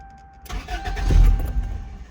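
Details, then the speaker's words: 1995 Toyota Corolla 1.6 with a new battery, which previously ran a few minutes then died: the starter spins the engine, it nearly catches, then dies without running; cranks but won't start, cause unknown. "See, it's like kind of it sounds like it's gonna start, but it won't like start really, like to make the engine run."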